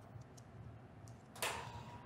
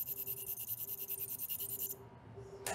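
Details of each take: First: Ultrasonic micro-tip tenotomy device during medial epicondyle tendinopathy treatment: thin steady warning tone with no auditory humming beneath, meaning the tip is occluded or irrigation is not functioning, so the sonic energy has shut off. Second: when the micro tip is functioning properly you can hear a auditory humming which means that the sonic energy is being imparted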